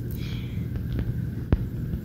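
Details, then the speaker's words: Bestec ATX-300-12E ATX PC power supply with IC-driven 5VSB rail, previously recapped with harvested motherboard caps, failing to start after a power outage; faint low buzzing as standby rail fails, suspected cooked 2200µF 6.3/10V capacitor beside heatsink. "Come around to the back and I listen to this power supply and I hear it making a little buzzing noise."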